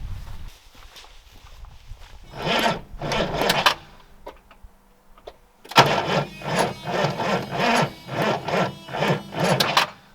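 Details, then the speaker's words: 1977 Range Rover Classic diesel that had been sitting, first start attempt with no fuel in tank and a fitted battery: slow, labored crank about two strokes per second in short tries, never catches; fuel pump heard trying; owner suspects weak battery. "but it sounded and it was trying to crank I think maybe the battery is a little bit weak"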